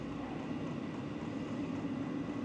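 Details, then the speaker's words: 2024 WIPPRO 8 kW diesel heater reaching the fourth startup stage, glow plug still lit. Even rushing whoosh as the blower comes up to speed, with no rattles; a normal startup fan ramp-up. "now it's really getting kicked in we we've hit the four fourth stage start to feel the air coming out really hear it kicking"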